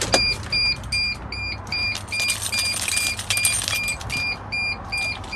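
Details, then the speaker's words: 2002 Mercedes T1N Sprinter van, 118,000 miles: high double-toned door warning chime repeats steadily and won't stop until the door is shut; lights are off and it's not the seat belt, so a bad switch or something worse is suspected. "that beep doesn't shut off till you shut the door lights are not on it is not the seat belt that's either a bad switch or something worse"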